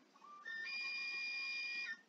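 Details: Micro quadcopter brushless motor, props off, spun from the Betaflight motors tab: a clean, steady high whistle rises quickly, holds even, then drops away. A healthy motor spinning freely, compared against one with a bearing issue.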